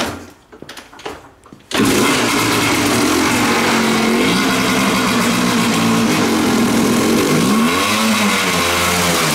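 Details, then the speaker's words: Kawasaki two-stroke dirt bike on a new Chinese knockoff Keihin PWK-copy carburetor, first run with no fuel through it yet: hangs near 2,500 rpm then flares to 5,000 and sags unevenly; owner says it runs much leaner. "It barely gets above 2,500 RPM and then revs up to 5,000. I can tell it's running much leaner."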